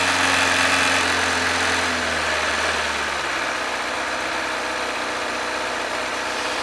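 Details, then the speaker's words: 2007 Kawasaki ZZR600, carbureted, 12,457 miles, warming up at about 40°F: even, smooth idle with steady low rumble settling as the choke is pushed down; healthy, no knocks or ticks. "You'll hear the idle picking up as it warms up. Means you gotta pull the choke down, but we're not there yet."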